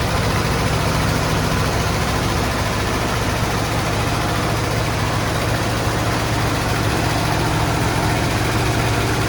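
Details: 1972 Ford F-100 XLT Ranger, sat 15 years: deep, slightly uneven idle with steady low rumble and no knocks; rough idle after long storage.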